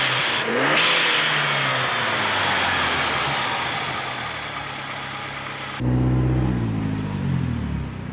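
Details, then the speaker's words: High-mileage Saab after upgrade from T25 to larger turbo (old turbo suspected of blowing oil into exhaust): engine climbs strongly with rising turbo whoosh, boost from ~3000 rpm pulling hard without dying off, clean lift-off; normal turbo boost. "it feels like that's how it how it should have been I hear that a lot and you know what they're there right that this is how it should have came from the factory this is how a turbo should boost"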